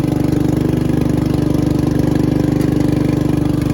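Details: Riding lawn tractor with 13.5 hp engine, started on choke: steady, even beat with no knocks or misses; runs healthy and smooth.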